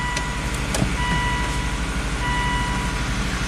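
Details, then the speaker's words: Volvo XC70 idling after trouble codes were cleared, checked for exhaust leaks: steady, even idle with a smooth low pulse and no puffing or ticking from the exhaust side; no exhaust leak, runs healthy. "all right let's start up the Volvo cleared the trouble codes first let's listen for exhaust leaks oh no exhaust leaks sweet"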